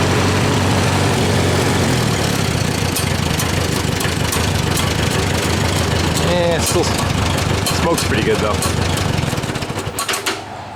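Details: Farmall A tractor with dual exhausts, compression running below the expected 90–100. Uneven low-speed chugging with an occasional dropped beat; one cylinder skips intermittently, cause unconfirmed.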